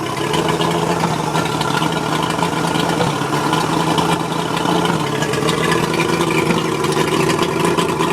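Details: Mercury 135 outboard rough idle: uneven, lumpy beat wandering and stumbling now and then, likely missing on a cylinder. Spark plugs suspected, not confirmed.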